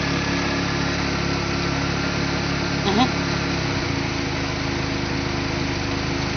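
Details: Engine just after a fresh rebuild, with Apexi intake, Bonez cat, HKS downpipe and Dragger exhaust: steady, even idle with a light rev blip, no knocks or rattles, settling back smoothly; normal idle.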